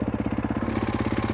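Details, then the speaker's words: Motorcycle with Rekluse auto clutch, idle deliberately bumped up: fast even single-cylinder idle, about thirteen pulses a second, clutch drags and bike tries to walk forward in gear; fix by lowering idle or changing EXP springs. "now you can hear that idle raising up quite a bit and so now if i click it into gear that guy's really going to try and walk forward"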